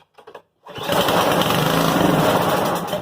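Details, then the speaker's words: Murray (MTD) 824ES snowblower, unrun about three years with old gas, given starting fluid through air screen: catches and runs rough about two seconds, then sags and dies; dirty carburetor, to be pulled and cleaned. "all right well yep i agree carburetor carburetor's dirty i'm gonna guess this thing was sitting with a bunch of old gas in it"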